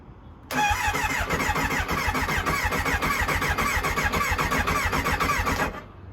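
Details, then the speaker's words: Kawasaki Ninja ZX9R sat outdoors over 4 years, old charged battery, fresh fuel and filter, cleaned air filter: cranks steadily about four pulses a second and almost fires but won't start; choke applied; clogged fuel pump inlet. "it wants to start I can't believe it I'm going to give it some choke it wants to start"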